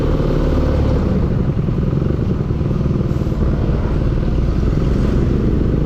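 Steady low engine rumble with a fast, clattery tapping riding on it throughout; an engine knock of unknown origin.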